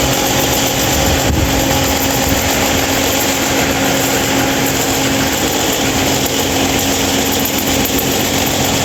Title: loud noise 26" mahita stand fan